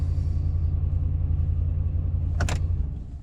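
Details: 2012 Ram 1500 Hemi V8 idling on a newly programmed key fob, then powered down; deep, even rumble, a brief click, then it fades off, running smoothly.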